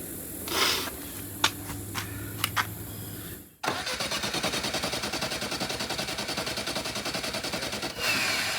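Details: Willys CJ2A Jeep, coil wire pulled after carburetor rebuild to let the fuel pump fill the system: steady starter whirring with even compression pulses, about four or five a second, and no firing.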